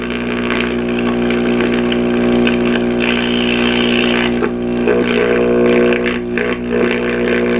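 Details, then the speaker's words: Zenith model R509R vintage tube radio at power-up: steady low hum under the output, volume down then up; bad filter capacitor suspected, not confirmed. "Okay, so this is extremely extremely um uh surprising, but we have a bad filter capacitor."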